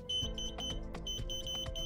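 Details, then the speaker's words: Dead Instant Pot, plugged in, voltage tester on power-source (red wire) end of thermal fuse: rapid high-pitched beeping about four chirps a second showing voltage. "I will use the tester to check that end of the fuse connected to the power source with the red wire and as you can hear the frequent beeping means the voltage is"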